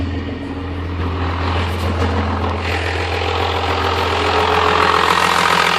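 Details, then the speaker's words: 1997 Dodge Cummins 12-valve diesel: normal idle, then under load the clatter grows harsher and louder with a choppy exhaust bark like a jake brake; cause unknown. "It's got a funny jake brake sound when you put a load on the engine."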